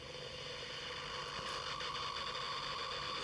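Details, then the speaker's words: 1966 Philips EE08 kit two-transistor AM radio, newly built, tested through an amplifier: steady high whistle with hum and hiss, shifting while tuning, no station; owner suspects parasitic oscillation or Wi-Fi/household interference, unconfirmed. "Well, there's a lot of hum as you might be able to hear and whistling. It's definitely tuning through different frequencies."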